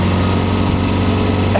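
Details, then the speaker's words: 40-year-old Honda Gold Wing GL1200, flat-four boxer, first legal ride after repairs, cruising about 90–100 km/h: smooth, deep, even drone like an old non-turbo Subaru, no knocks or misses; normal running at cruising speed. "one of the first things that you notice about this motorcycle is that it sounds like an old non-turbo Subaru from the 90s, probably 2000, and that is because this is a flat 4-cylinder, so it's, I guess, a boxer configuration."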